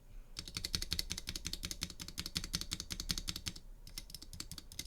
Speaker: here i have a pcb with some duroc stabilizers on the space bar you can see that it's fairly rattly